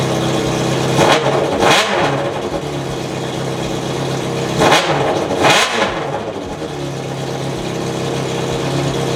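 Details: 2004 Honda CBR600RR with a custom catless full-system header, run straight-piped: two sharp revs rise and fall over a loud, raspy idle, far harsher than normal; exhaust leak at the header.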